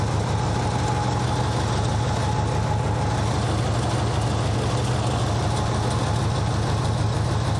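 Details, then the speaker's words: Nissan 200SX at idle: a rough, gritty grinding under the engine, from a worn alternator making a ruckus. "Alternator definitely sounds bad. It's making all sorts of ruckus down there. I can hear it like grinding basically."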